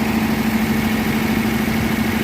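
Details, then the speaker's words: 1957 Ford Thunderbird, 312 Y-block V8, 86,000 miles, first start after 35 years off the road. Steady even hum with no misses, but warm idle sits very high and smoky as old fluids burn off. Owner suspects a vacuum leak, unconfirmed. "Very high idle. Makes me wonder if there's a vacuum leak somewhere."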